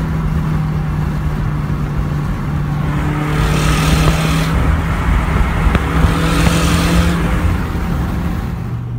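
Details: 2017 Subaru WRX, stock apart from axle-back, under throttle: raspy ticking puff over the exhaust note from a missing exhaust manifold nut causing a boost and exhaust leak, recurring a second time.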